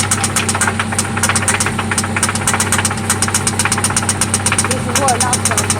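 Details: 1995 Toyota Celica ST idling after an oil change and spark plug replacement: a loud, sharp, rapid, regular ticking knock that keeps time with the engine over a steady idle; it seems to come from one spot, and its source is unknown.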